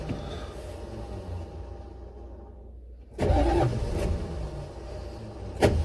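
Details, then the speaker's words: Buick Electra 5.7 L diesel, first start attempt in a year, blown head gasket unrepaired, fuel system unprimed, ether used, jump box: long slow labored cranking with uneven churning and louder bursts, never catches; owner suspects starter or shim. "hey well i'm not having a whole lot of luck here hopefully it'll catch"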